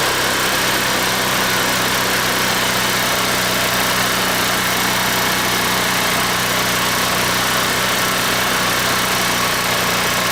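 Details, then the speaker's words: 150cc scooter idling fast, erratic and buzzy with no throttle, idle surging up suddenly, idle screw turned way up to prevent stalling; symptoms of a vacuum leak. "ery erratic idle and making strange noises and I can't get the idle right every time I just the idle all of a sudden it goes up like crazy so it has the symptoms of a vacuum leak"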